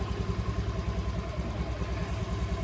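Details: Motorcycle restarted after installing a GPS tracker: a soft, even putter at idle with a steady beat and no misses or clatter, so it is idling normally.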